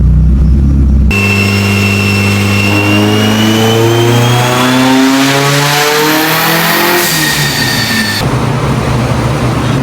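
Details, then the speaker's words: Built Mitsubishi Evo 8 on the dyno, first light pull at wastegate pressure with no added boost: strong, even engine note climbs smoothly with revs and drops back cleanly, no misses or knocks; running normally. "Just the first little rip. I didn't want to go too crazy. I just need to know how this car performs on gate pressure on the log wise."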